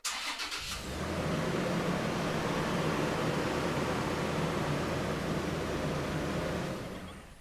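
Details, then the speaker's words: 2023 Toyota 4Runner with dead key fob battery, started after touching fob to Stop/Start button: short crank catches within a second, then smooth steady idle with even low hum; normal start. "And once the vehicle's started, you'll be able to drive as you normally would."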